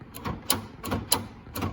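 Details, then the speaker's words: 1999-2004 second-gen Honda Odyssey power sliding door: sharp clicking clunks repeat about every 0.6 seconds as the door tries to hit the floor-level micro switch and won't close or latch; fault is the missing micro switch. "it's trying to hit the micro switch, but it won't work. So that's the fault for this."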